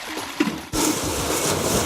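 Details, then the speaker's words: Drain stack test tower during a toilet flush with towels: sudden rush of water, then a steady airy hiss with fluttering surges as a blockage stops air travelling down the stack; air pressure oscillation. "that towel just went off there and you can hear hissing they're oscillating that's the second cell coming in there"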